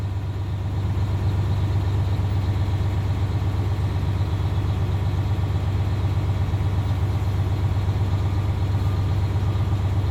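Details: Diesel truck idling during air brake test after the low-air buzzer (around 90 psi) while air pressure builds: steady, even idle at about two beats a second with a deep low rumble; healthy.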